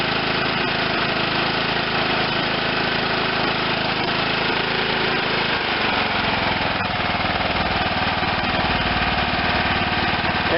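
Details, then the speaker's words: John Deere LT160 lawn tractor, Kohler Command 16 hp: even low idle chugging with no misses or knocks; healthy, charging about 13 V at idle. "still charging even at low rtm that's all the way at idle 13. so that's good it's a positive charge"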